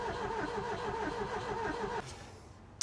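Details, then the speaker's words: Ford Taunus/Cortina fastback parked 40 years, cranking after 3 used NGK spark plugs were fitted: even starter churn about 3.5 beats per second for two seconds, then stops; compression sounds balanced and healthy. "Compression sounds alright now."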